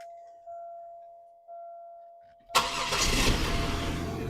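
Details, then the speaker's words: Buick Park Avenue Ultra started on wheel dollies after a full drivetrain swap from a parts car back to factory spec, with the exhaust just swapped: chime tones, then a clean catch and a strong, even run with a deep exhaust note; a healthy start. "that sounds beautiful I love it all right man this is fantastic this makes me so happy can finally get this project closed out"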